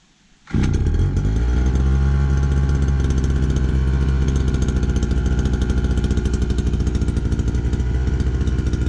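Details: Two-stroke brush cutter run on four-stroke fuel with some makeshift oil added, usually hard to start: catches and settles into a steady even buzz with no stumbles or misses. Normal running.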